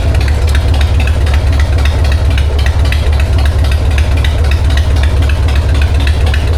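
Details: 1999 Harley-Davidson Sportster 1200 with S&S Super E carb, after cleaning and replacing the faulty accelerator pump; idling in neutral, then throttle blips pick up cleanly with no sputter or stumble. Normal idle and revving.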